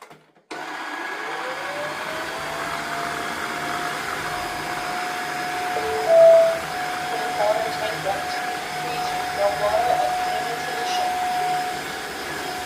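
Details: Tineco Floor One S5 wet vacuum after repair for suction motor not running (error, no suction): motor spins up quickly to a steady, smooth whine with no rattle or surging; suction motor running healthy after the fix.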